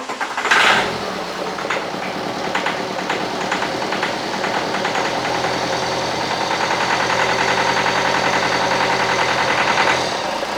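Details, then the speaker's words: BMW E91 LCI diesel, used replacement engine with new timing chains, after fuel system bleed; short crank, catches and settles into even steady idle clatter; engine performing flawlessly, normal start and idle. "runs pretty damn good so this car it runs pretty good the engine is performing flawlessly"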